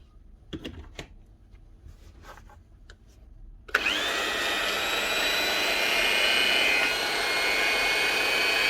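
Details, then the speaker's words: Hitachi G23SS 240 V angle grinder run on 110 V site power: after the switch clicks, a steady, fairly low-pitched motor whine that never climbs to full speed, running at about half speed from low supply voltage. "we show one tvt first when it starts up it'll only run half speed you'll actually hear but it's not running"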